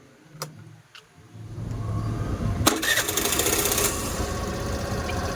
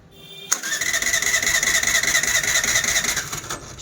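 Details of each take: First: Suzuki Access BS6 scooter after fitting a manual idle adjuster: a couple of clicks, then it catches and settles into an even, steady idle with no hunting or dying. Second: Suzuki Access BS6 scooter that slows and stalls while riding and starts only with throttle: about three seconds of high whirring cranking at closed throttle that never catches; idle control fault.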